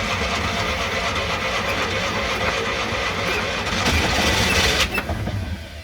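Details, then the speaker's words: Classic Fiat 500 after fixing electrical and starter issues, running on quick-start spray with choke on and no fuel in it: engine spins with uneven chugging, briefly tries to catch and dies; needs proper fuel. "okay it spun over it has tried to catch I think in order to get it to run properly we're going to have to actually get some some propit fuel in there"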